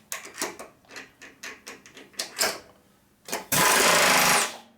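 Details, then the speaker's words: Lagun vertical milling machine pneumatic power drawbar after installing an air regulator, water separator and oiler set to 80 psi: short air bursts then about a second of steady hammering stopping cleanly, no hiss; air leak fixed, drawbar working. "okay and we got no air leak sounds like we fixed it not bad it's hard to believe that thing actually works"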